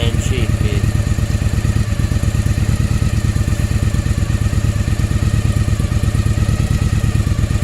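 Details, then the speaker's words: 1995 Yamaha Virago 1100 V-twin, 22,900 km, after a second carb overhaul (new float valves, needles, main jets 125 front and 122.5 rear, diaphragms, pilot screws, fuel lines): steady, even loping idle with regular low pulses and no misses or knocks. "okay this is a movie of my V roughly 1100 after break top overall now it's running pretty nice very fast I've changed this sound a bit"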